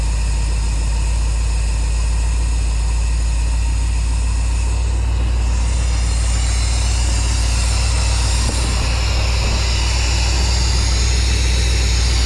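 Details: Squarebody Chevy dually V8 after an HEI distributor rebuild and moving the plug wires ahead one position; previously wouldn't start. Steady, even low rumble at idle with no stumble, miss or hunting; normal idle.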